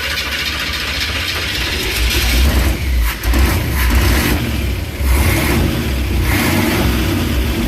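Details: Dead derby-style van V8, revived with gas poured into the float bowl vent and a weak starter: loud, rough burble through open pipes rising and falling with throttle blips. The engine runs again normally.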